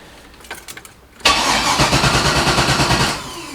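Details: 6.0L LS V8 in an S10, fuel system not yet primed: short crank, catches hard, settles into fast, slightly uneven, rough pulsing idle; engine shakes, short-term fuel trims climbing to 43 and 39, spark a little off.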